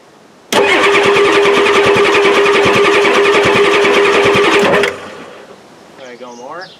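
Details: 1993 Ford F-250 7.3L IDI diesel with new injectors; owner suspects the injection pump is badly out of time. Steady starter whir with rapid even compression pulses for about four seconds and no firing: long hard-start crank.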